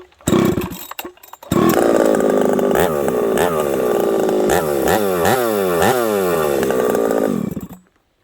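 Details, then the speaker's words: Ported Husqvarna 371XP chainsaw, first time cutting wood, possibly needing more tuning: snaps up to high revs instantly, pitch dips and recovers as it bites into wood; crisp, healthy throttle response. "crock um meaning it lights up quick when I pull the throttle um it oils like a banshee"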